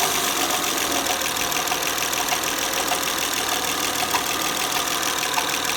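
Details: Honda Accord petrol engine idling with a light rhythmic chirp about three times a second; noise persisted with drive belt removed, and removing the front cover revealed a damaged camshaft lobe.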